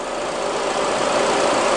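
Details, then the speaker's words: 2005 Honda Accord 2.4 VTEC after pulley repair and road test: steady, even engine hum with no belt squeal or chirp; belt stays put on pulley. "but I'm happy with that there's no squealing when I Drive in when I drove out or even during my road test"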